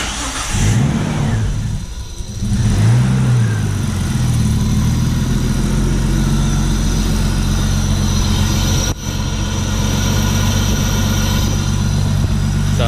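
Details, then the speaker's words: R34 GT turbo conversion, first start after priming the turbo oil feed, MAP hooked up so it keeps idling: the engine catches quickly and settles into a steady, smooth, even idle with no misses or knocks. Normal start and idle. "good. Idling smooth. I had to hook the map up just like this just to let it idle or else it kept dying."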